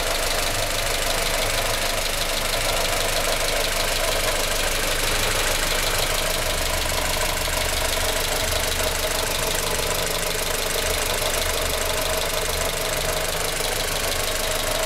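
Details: At idle, a loose, uneven knock of about three taps a second from the top right-hand corner of the engine bay on a 1996 Australian-delivered Honda Civic EK Cxi with the D16Y4 engine; source unclear.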